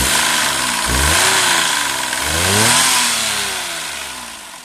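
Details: Daihatsu Move custom L175S engine: a shrill scream rises and falls with revs over a hissy background; abnormal noise, source not identified.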